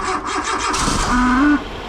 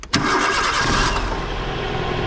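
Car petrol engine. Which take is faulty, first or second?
first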